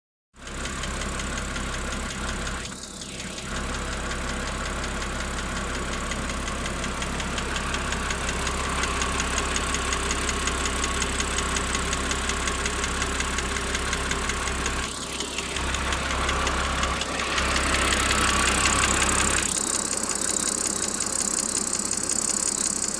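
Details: BMW 330i N52 six-cylinder petrol idling with a fast, light ticking through its steady hum; the ticking appears 10–15 minutes after a cold start.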